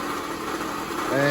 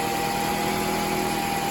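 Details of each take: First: 2004 Toyota RAV4 2.4 L four-cylinder running: coarse, gritty harmonic rattle over the idle; owner is almost sure it's worn water pump bearings, a pump now being replaced for probably the third or fourth time on this vehicle. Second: well no more rattle sounds pretty good huh nice and quiet so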